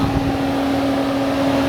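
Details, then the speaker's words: 2006 Mercedes C280: key at third position gives no crank or start, while the front cooling fan roars at full blast like a jet turbine, a loud steady droning hum; battery charged, fuses and ignition relays replaced, cause unknown. "up in the front there's a huge turbo fan that sounds like it was an engine like i don't know if you can guys hear it right now so it's really really big it really goes full blast right now"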